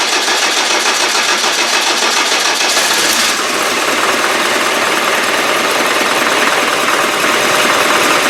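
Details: Land Rover Defender 300Tdi diesel, freshly rebuilt and installed, first start after fuel-feed problem traced to a faulty pump and pipes refilled: busy diesel clatter catches after cranking, settles into even steady revs; fuelling and running normally.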